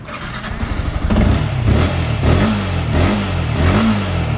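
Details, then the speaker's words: 2016 Yamaha R15, 150 cc single-cylinder fuel-injected, 48,000 km: fires quickly, settles to an even idle, takes a few clean throttle blips, very smooth, electrics all normal; normal start and rev. "Halus banget ya. Kelistrikan normal semua."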